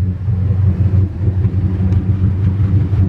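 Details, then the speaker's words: 1999 Bayliner 3055, twin 5.0L MerCruiser Thunderbolt engines, about 1000 hours each: steady deep low rumble, even unbroken pulse, no knocks or misses, both idling from dead cold start, temp gauge at zero; normal idle. "nice running both partner right up from dead cold start"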